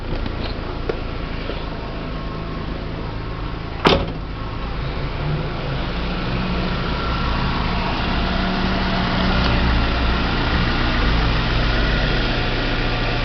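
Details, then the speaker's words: VW Gol with 164,000 (units not stated) on the original water pump, after replacing that worn, loose pump, which had a plastic impeller: a steady, even low idle hum with no knock or rattle. The engine noise is resolved. "galera problema está resolvido vou torcer que é tim contesta em cena"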